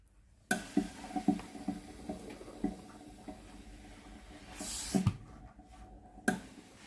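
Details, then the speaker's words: Philips GC9682 steam iron, water-feed button gives no steam (microswitch fault), tested in Auto mode: quiet valve clicks every second or so, then a steady hiss; steam and solenoid valve work normally. "hơi nước ra bình thường, van nước hoạt động bình thường."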